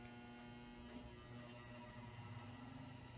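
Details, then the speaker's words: New-old-stock Lesslie Locke spinner ceiling fan with a stiff lower bearing, turned way down on a solid-state variable control: low steady electrical hum, motor buzzing and struggling to turn as it stalls; bearing needs work, possibly replacement. "i turned it way down this may stall may not be enough to like move it this looks like it's stalling out yep"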